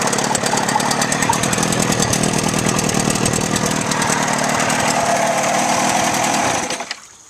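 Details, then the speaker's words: Outboard motor test run after water pump replacement: fast, busy two-stroke buzz holds steady, then cuts off cleanly, pumping water through well; normal running. "So as you can see, we're pumping great, pushing water all the way through it. This motor is ready to run for another 35 years."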